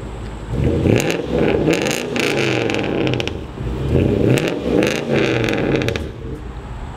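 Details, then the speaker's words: Toyota Sequoia tow rig with a 2UZ V8 and a newly fabricated exhaust without catalytic converters, after about 10 minutes of idling. Deep, uneven burble with swelling revs and a harsh rasp, loud like a leaned-out truck; the check engine light came on. "exhaust sounds sounds loud sounds raspy but i think it'll be perfect maybe we'll see ah it kind of sounds like one of the leaned out trucks just like needs cats honestly"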